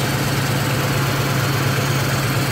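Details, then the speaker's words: Car just after an oil change (5.5 quarts Maxx full synthetic, new filter) and intake manifold gaskets: even low rumble at idle with no ticking or tapping from the top end, no valve chatter; oil pressure good. "I don't hear any valve chatter. I don't know what you can hear on the camera, but there's no valve chatter."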